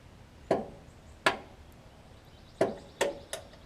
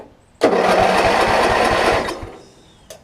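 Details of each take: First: Craftsman riding mower, with a new battery: a sharp single click at each start attempt and no cranking. Only about 8 V comes out of the starter solenoid, which has failed internally and needs replacing. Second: Craftsman riding mower after replacing the starter solenoid (previously only one click, even with new battery): steady rapid chugging churn about two beats a second, then stops; normal starter cranking, though mower doesn't run yet.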